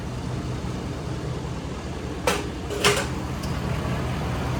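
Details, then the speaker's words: Ford F-250 6.7 L Powerstroke diesel after fuel filter conversion and key-cycle priming: steady even idle, smooth low rumble, no knocks or misses apart from two brief handling clicks; healthy. "sounds good to me it took a little bit of start to I mean not even that bad honestly so sweet"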